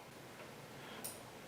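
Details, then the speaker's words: Kohler Courage XT-6 engine on an Ariens mower, non-start diagnosis: one sharp click in a quiet room as the starter bar is pressed, the kill pin releasing from ground as it should; ignition kill switch working normally. "but we have this one now where it is releasing from the ground because if you listen you can hear the point at which is releases from the ground position so you should hear that distinctive click when you're pressing the starter bar"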